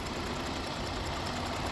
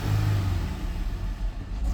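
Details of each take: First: 2018 Dodge Durango SSV, 3.6 L V6 at idle: a little shake but no misfire in any cylinder, running nice and revving well; could use a tune-up. Transmission slips in second gear. Steady, even idle with no misses or knocks. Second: 2018 Dodge Durango, 3.6 L V6, check engine light on, transmission reported bad, AC off: repeated rev blips climb slowly and sag back, sluggish and uneven; revs hesitantly but drives, possibly a sensor such as oxygen or coolant, unconfirmed.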